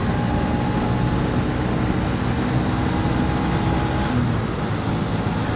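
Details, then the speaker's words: Derestricted 2023 Honda CB125F with high-compression piston, accelerating on road after clutch free play adjustment and/or CRF125 clutch springs: steady engine drone rising evenly with road speed, no rev flare; clutch gripping, normal engagement. "Either way, the bike, you can hear it when I accelerate. The RPMs aren't abnormally raising"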